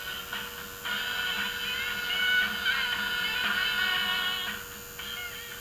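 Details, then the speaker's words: Zenith 4-B-231 radio synchronous vibrator on DC bench supply, being troubleshot for an intermittent fault with burnt, oxidized contacts: steady hum with high buzzy chatter, B+ voltage rises; vibrator running, not seizing. "the thing is the vibrator is running and it's not seizing up so that's a good sign"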